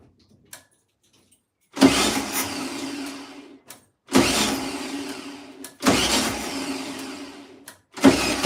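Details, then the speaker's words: 1972 VW Beetle, first start after sitting over two years: fuel poured into the carb float bowl, accelerator pump checked. Repeated two-second cranking bursts with a few firing puffs, never runs on its own. Cranks but won't start; owner suspects an unhappy carb. "oh come on why are you not playing why are you not playing it doesn't smell too fueling I don't think that carb's too happy at all"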